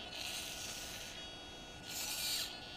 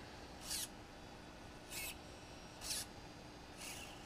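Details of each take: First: DJI Phantom 2 Vision stock camera pitch gimbal servo makes two shrill, buzzy whirring bursts; noisy, slow servo whine, common on these, compared with a quiet Hitec HS-5055MG replacement. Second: DJI Phantom 2 Vision camera pitch gimbal after replacing the OEM servo with a Hitec HS-5055MG digital servo, reversed via programmer, default gimbal settings: four short crisp buzzes as the camera snaps quickly, no typical OEM servo whine; normal servo operation.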